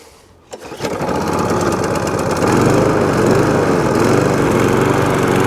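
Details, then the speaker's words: Old scrap-pile Mountfield Empress roller mower after a new spark plug, first start: catches after a couple of pulls, settles into a steady even drone, a bit smoky, having had no oil in it when it arrived; runs healthy. "okay there it is it is running it is a bit smoky uh but don't forget this machine had no wall in it at all when it first came"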